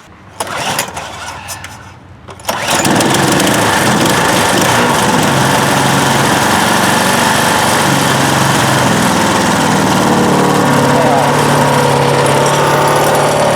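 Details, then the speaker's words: DR PowerWagon dump cart re-powered with a 1992 5HP Briggs engine replacing the 6HP Tecumseh, key on, primed, trigger throttle: a few cranking pulls then catches and settles into a steady even putter, starting cleanly. "Okay, key to the run position. A few hits of the primer bulb. Got one hand on the throttle here, and we'll start it up."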